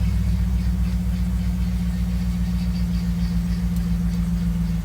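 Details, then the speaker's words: 2011 Ford F-150 that kept cranking without starting, now running after checking fuel pump power fuse 27; dash still shows turn-power-off message. Steady, even low rumble, no misses or surges. Normal idle. "Seems like it gave us the same message, but it cranked up. It was not cranking up before. So I think that's a good sign."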